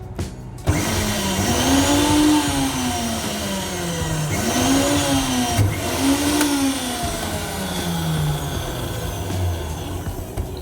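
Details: Meat grinder final test after repair and full reassembly: motor spins up to a steady whirring pitch rising and falling with load, smooth gear sound without grinding or clatter; normal running.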